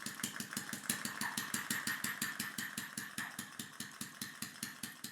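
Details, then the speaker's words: Homemade air-powered engine run from a water-pressurised tank, after sanding cylinder tight spots and aligning the diaphragm: fast, even puffing about three beats a second with faint hiss; overspeeding and using too much air, later fixed by shortening the inlet valve pin. "and the engine now sounds much smoother but it's spinning way faster than it needs to be and running out of air"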